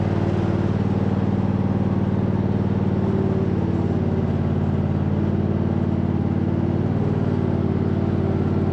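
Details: 2007 MTD/White Outdoors 54-inch zero-turn mower, rebuilt deck with new spindle bearings, covers off: steady low engine drone with blades spinning evenly, no spindle grinding or rumble, super quiet; normal mower deck running.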